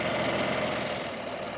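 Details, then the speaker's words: Rebuilt BMW G80 M3 with replacement engine, VRSF downpipes, stock exhaust with valves unplugged: steady, even idle with a light raspy top end, no knocks or misses. Engine sounds healthy and normal. "Engine sounds healthy and normal. Sounds like a direct injected engine to me."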